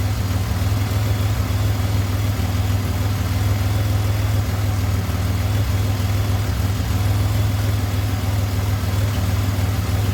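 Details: 2007 Pontiac Grand Prix V6 idling after valve seal failure repair with reman heads and stainless valves: steady even low rumble, lifters or rockers slightly noisy, coolant temperature normal with 180 thermostat; normal idle.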